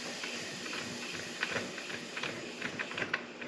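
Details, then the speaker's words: Truck nicknamed Mini F150, engine with unexplained engine noise, leak-down test reading about 24 at 30: steady airy hiss with faint ticks as air escapes from the cylinder to an unknown location; marginal leak-down failure. "Yeah, now I got to try to figure out where it's leaking to, because it's definitely kind of on the edge. Failing the leak down test, you know, definitely failing it, but it's not super bad."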